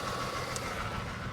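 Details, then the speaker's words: 2011 Chevrolet Equinox with throttle body correlation code P2135, in immediate reduced power mode: the engine idles unevenly with a lumpy, shaky beat and faint whine, as if only half running; cause suspected, not confirmed. "definitely running in reduced power sounds like only half of us running"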